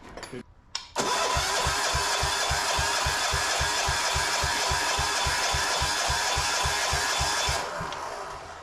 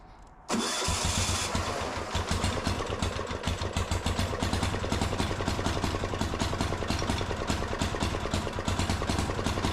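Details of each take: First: Gravely C10A tractor repowered with a 418cc Yanmar-clone single-cylinder diesel, cold start attempt: even starter chugging about three and a half beats a second, never catching; the compression release is holding the exhaust valve open. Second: Gravely C10A repowered with a 418cc Yanmar-clone single-cylinder diesel, first start: cranks briefly, catches and settles into a loud, steady, even thumping idle with no knocks; running fine.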